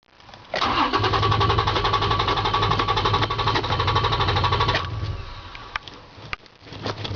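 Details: Toyota Tacoma hard starting: about four seconds of even, rapid cranking before the engine finally catches and settles.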